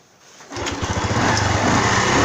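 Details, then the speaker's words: Honda Wave 110i that would not start, after new genuine fuel pump fitted; single-cylinder engine catches and settles into a quick, even putter with no stumbles or misses, fuel delivery healthy. "ครับผมติดมือดีครับผมบ่มีสะดุดครับดีครับเดินเบาครับ"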